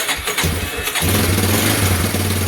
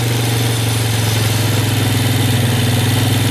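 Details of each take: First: Yamaha Warrior ATV single-cylinder, first start in about 10 years after carb rebuild, fresh gas, new battery and petcock, flushed tank, oil added: short cranking then catches at about one second, steady even idle; clean start. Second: Rebuilt-carb Yamaha Warrior ATV on fresh gas, first start after years, not yet warmed up: steady, even drone held noticeably above normal idle with no dips, because the choke was left on; high idle.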